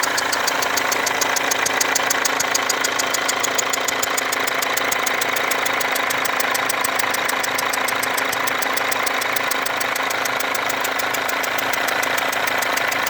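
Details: Mercedes W204 diesel at idle with a leaking fuel injector: sharp, rapid ticking over a thin whistle, steady with engine speed, from the injector area, with burnt-on diesel residue around the leaking injector.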